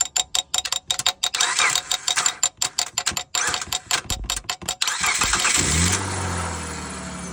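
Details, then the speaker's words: Car that won't start; starter solenoid tapped with metal while cranking: rapid irregular metallic tapping, then the engine fires and settles into a smooth idle. Starter only engages when knocked, so it is failing. "you see it fired right up. That's a fantastic way to test if your starter's bad. Works a lot of times."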